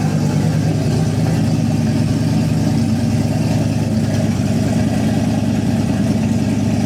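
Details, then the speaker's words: Nissan 240SX S14 with a freshly swapped boost-ready 5.3 LS V8 on E85, first start on a cold day, about 65 psi oil pressure: deep, steady idle with an even low rumble, no knocks or misses; runs smoothly. "oh baby she sounds good we'll go ahead and put it through the gears make sure everything's happy there"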